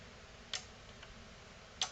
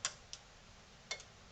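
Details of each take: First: NAD C370 amplifier after replacing capacitors and resoldering, at power-on with a green light: a few sharp, separate clicks about once a second over a quiet room. Speaker output relays now switching normally. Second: NAD C370 amplifier before repair, at power-on: a few sharp relay clicks as the green light comes on, then it goes out and fades to red. Speaker protection relay drops out.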